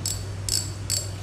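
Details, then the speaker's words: Used Japanese-made Shimano 2500 spinning reel, near-new condition: three crisp, even clicker ticks about 0.4 seconds apart over a faint hum; clean, healthy clicker. "tiếng rất của nó đây nghe rất là đã tay"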